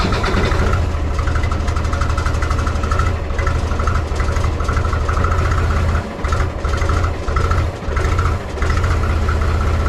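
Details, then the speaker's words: Mahindra 3525 diesel tractor, cold start at 18-19°F after about a month and a half unused, weak battery boosted with jump pack; chugs unevenly at low idle with dips every few seconds, first four or five minutes: rough cold idle. "it didn't like that cold stting I can tell you that so you see right there not smoking no more so got not not warmed up at all but on the first four or five minutes of she just chugging there"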